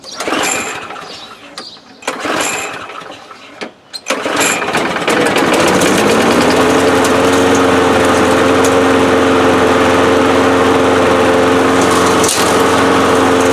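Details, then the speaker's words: 2005 Murray Quantum 6.5 small engine with part swapped from a Craftsman: primes right up, a few pulls then steady, even high drone at constant speed; running normally. "primed right up this thing's running great now"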